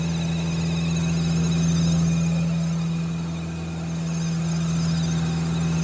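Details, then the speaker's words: Audi S3 1.8T, 24-year-old engine, Copart car, exhaust refitted: steady low droning hum from the drivetrain that swells and eases slightly with speed, traced to a worn propshaft center bearing rather than the joint. "we did manage to he the noise coming from the prop shaft bearing so I'm actually quite glad it's not the joint on the"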